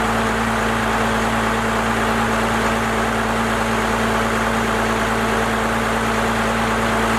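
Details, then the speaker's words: First-gen Cummins diesel with a 4-inch straight pipe, after advancing the injection timing and bumping up the idle: a deep, steady rumble with an even hum and no stumbles. The idle now sounds properly adjusted. "She sounds a lot better to me. Definitely got that idle adjusted to where I think it needs to be."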